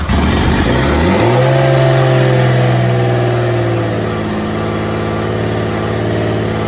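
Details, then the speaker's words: Rebuilt RB25 engine with forged internals, very loud on its first start after cranking for oil pressure: it settles into a fast idle that keeps climbing higher instead of dropping; high idle, cause not yet known. "I mean I don't know if you heard it you did hear it it was idling really high and then it just got even higher as it was idling"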